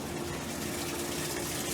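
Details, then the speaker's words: Top-load Maytag washer in a laundromat being tested: steady rush of water filling the tub over a faint even hum with no knocks; filling normally and everything working. "Everything seems to be working good on this."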